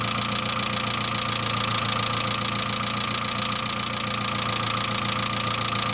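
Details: Saab 900 (C900) after engine/head rebuild: light, even valve lifter ticking at about 214 per minute over a smooth idle. No oil leakage, oil pressure lamp off. Oil return line leak apparently ruled out; owner now suspects the oil pressure relief valve, inspected but not thoroughly cleaned during rebuild.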